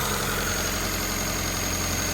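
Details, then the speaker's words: Honda CRX with idle surge, incorrect PCV valve fitted: steady fast idle around 1300 rpm with a loud hiss, pulling too much vacuum; vacuum leak raising idle, fixed by the correct PCV valve. "All right, so here's the incorrect PCV valve installed. Hope you can hear that difference, but the vacuum difference. Pretty loud. Sounds like it's pulling a lot of vacuum"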